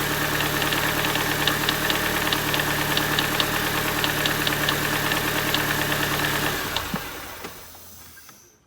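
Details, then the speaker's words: 2006 Mini Cooper R53 Cooper S at start-up: fast, even metallic ticking rattle, about three to four a second over the idle; noise faded after the first start but returned on restart, owner suspects a pulley, unconfirmed. "i'm gonna go ahead and start it up and let you guys hear that noise that it's making i think it might be a pulley um but you know it's my first r53 so i'm not an expert on it yet"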